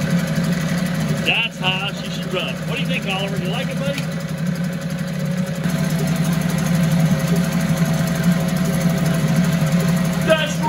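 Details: 1974 Mercury 4 hp single-cylinder two-stroke outboard with Thunderbolt ignition, warm restart without choke after 45 minutes sitting: even buzzing hum holding steady speed without misses or stumbles; runs like a top, normal running.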